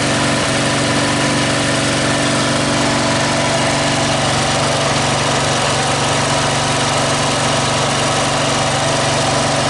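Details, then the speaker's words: Scrap Snapper 38-inch-cut riding mower, started on starting fluid and choke: steady, even drone with no misses, knocks or surging; runs healthy. A carburettor gas leak shows, apparently because the fuel shutoff was broken off. "yep should turn the key on doesn't it try choking it hey he's running all right so"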